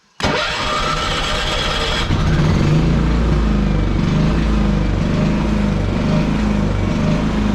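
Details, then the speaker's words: Champion generator, about 11 years old, fully warmed up: small engine drone rising and falling in slow irregular swells; idle hunting, still gives steady power; owner suspects carburetor or wear, not confirmed. "Yeah, I mean, that's annoying, right? And there'll be a little bit of a surge when I plug the van in, but that window unit is such a little bit of power."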